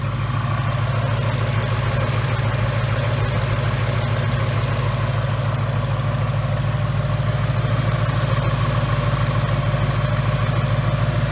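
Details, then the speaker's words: 2018 Mustang GT 5.0 Coyote with replacement engine with forged pistons, about 300 miles, nearly warm (head temps 197°F): even, steady low idle, tight with no ticking or knocking, high-pressure fuel pump relatively quiet; normal warm idle. "see at this point this engine to me sounds like my Gen 1 coyote very tight"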